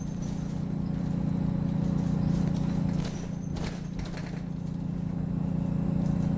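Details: Optare Solo bus YJ12GVT on route 309: fairly regular squeak, about three per second, over the steady low diesel drone while driving; cause not identified.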